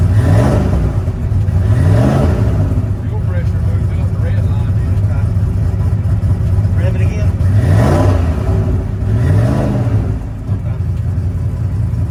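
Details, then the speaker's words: Ford Coyote V8 with 107mm turbo revs cleanly in quick blips with no stumble or misfire, after swapping injectors and correcting base fuel pressure; it had been lean popping because the system assumed 90 psi; normal revving. "all right so we got it running all we did was change the in he changed the injector"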